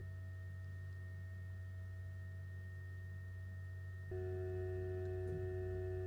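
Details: Two GoodWe Lynx Home D 5.0 batteries (10 kWh) in a basement, charging/discharging from about 1.5 kW: steady tonal hum with pure whining notes, stepping louder as cooling fans speed up, 43–45.5 dBA versus 35 dBA specified; excessively loud fans.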